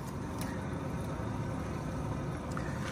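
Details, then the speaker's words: 2008 Ford F-150 Lariat 5.4L V8, front driver's-side wheel spun by hand: steady rough low grinding from a bad wheel bearing, no play in the wheel, noise gets loud when driving. "that grinding noise gets real loud when you're driving"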